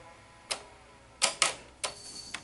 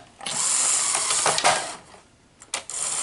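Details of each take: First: Sony SL-HF900 VCR after replacing bad idler motor board capacitors and cleaning sticking solenoids: sharp irregular solenoid clicks, no motor hum; on pressing play the drive motor still does not run. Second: Sony SL-HF900 VCR after replacing four bad capacitors on the idler motor circuit board and cleaning sticking solenoids: hissy whirring with sharp clicks as the solenoids now engage normally.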